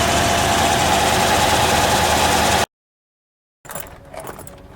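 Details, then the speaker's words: 1972 Mercedes 280 SE 4.5, warmed up a little after a drive: even, steady idle for a few seconds with no misses, knocks or ticks, then it cuts out; it idles normally. "all right now it's warmed up a little bit you can hear it just idles like normal"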